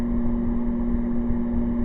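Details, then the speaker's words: Air conditioner fan on low, powered by a 12 V 1100 W inverter running off solar: a steady, fixed-pitch electrical motor hum over the fan whoosh. The hum is less than on high, and the unit still blows cold. "that's on low now you can still hear the home but it's not as bad as if when it was on high and yes it is blowing coal"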